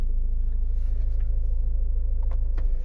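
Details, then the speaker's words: 2015 Ford Mondeo Mk5 estate, heard at the rear after fixing a cabin hum: steady low engine rumble with an even pulse and no hum or buzz; vibrating fuel-pipe plastic cover secured with a zip tie, now normal. "so now he's quiet only what you can hear now is the engine engine sound if you go here on the back before and after that's the difference"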